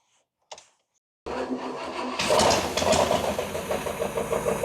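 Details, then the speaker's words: 1978 Cadillac DeVille V8 after sitting 15+ years, restarted after oiling a sticking lifter: starter catches quickly and settles into a steady, even run with no ticking, the earlier lifter knock gone; normal running after fix. "sounds way better the knock is gone yeah right up sit here running"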